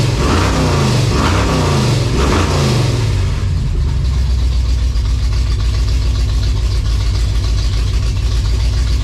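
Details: 1956 Chevy V8 hot rod, fresh timing set, first runs after revival, high-stall converter; a few revs then a loud, lumpy, loping idle with an uneven beat; owner hears a definite miss, cause not confirmed.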